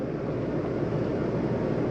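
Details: 2020 Coachmen Spirit 2454BH ultralight travel trailer, AC on with the quick-dump vent open: a steady, even rush of air with a low fan hum and no rattles or squeals. AC airflow is normal.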